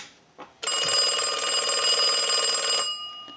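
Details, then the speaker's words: Stromberg Carlson Fatboy rotary phone with a replaced bell and corrected wiring, rung by the analyzer in final checks: bright, steady metallic ringing with fast even clatter about two seconds, stopping cleanly; bell strikes properly. "and we want to go ahead and ring the unit with the analyzer so we'll go ahead and do that we'll let that go a few times"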